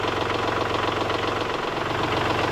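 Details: Kubota L3901 diesel tractor with LA525 loader, idling after replacing failed pump-to-loader-manifold hydraulic hose: steady even diesel idle with regular soft clatter, no misses or odd knocks; running fine.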